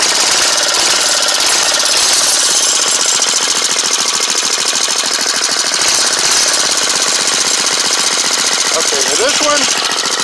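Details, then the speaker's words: Small single-cylinder lawn mower/go-kart engine on fresh fuel after a new carburetor replaced a badly corroded one, before idle and mixture adjustment; runs fast and steady with a sharp, busy buzz, no misses or stumbles. "okay now with some fresh fuel and we got it choked we should be ready"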